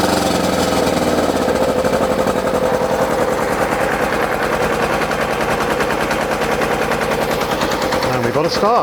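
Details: ZZR600 under restoration, first start on choke after exhaust work: harsh, rapid, machine-gun-like popping bark at idle. Very loud because the silencer baffle is missing; owner plans to fit a cap in the exhaust.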